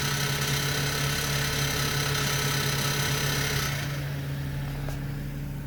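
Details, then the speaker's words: 2007 BMW 525i at idle: constant loose metallic rattle like BBs bouncing inside the exhaust, heard at the tailpipe; heat shields and belt tensioner ruled out; cause unconfirmed. "this sounds like it's coming right out of the exhaust I've had my ear right up to the exhaust while it was running and it just sounds like bb's bouncing around"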